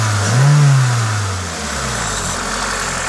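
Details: Toyota 2ZZ-GE engine revved normally, rising and falling cleanly back to a smooth steady idle; the hiss on top comes from an induction kit; sounds healthy.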